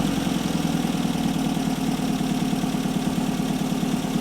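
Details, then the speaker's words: 1964 Triumph TR4 after cylinder head rebuild fixing two burnt valves, Zenith Stromberg carburetors being synchronized: steady, even idle with smooth low pulse and no misses or ticking; normal idle. "So it'll be interesting to see how this works with it in good running order. Boy, does that sound better."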